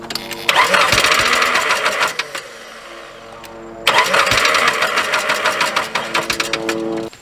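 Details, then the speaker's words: Truck left sitting two years, jump-started from a completely dead battery with a 6000A jump starter: two bursts of fast even cranking, about three beats a second, engine never fires; owner blames the long storage. "uh we got her cranking it just don't start that's not the jump boxes fault that's my fault for letting the truck set for two years and then I want to use it"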